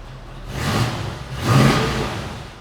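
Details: 1968 Chevrolet Camaro, 350ci small-block V8, Holley 4-barrel, Edelbrock intake, long-tube headers, 2.5-inch dual exhaust: two quick throttle blips rising and falling smoothly without stumble; healthy engine.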